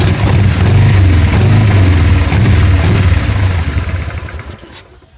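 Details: Harley-Davidson 883 V-twin: deep, uneven thumping with stumbling beats, then the engine sags and dies; misfiring and will not hold idle.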